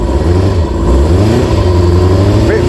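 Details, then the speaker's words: Kawasaki ZX-6R four-cylinder, first run in 10 years after carb clean, just started, warming up, ticking over on its own, bit smoky and fumey. Even, smooth low idle hum, gentle rev blip near end; runs clean. "This is the first time it's run in 10 years. I'm going to let it warm up for a little while, and that's ticking over on its own now."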